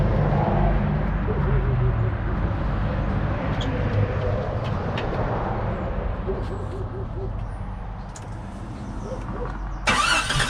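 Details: 1992 Jeep XJ after a water pump replacement, cooling system refilled with no burper and the auxiliary fan left out. The starter churns in an uneven rhythm, about three to four turns a second, and the engine never fires. Cause suspected, not confirmed.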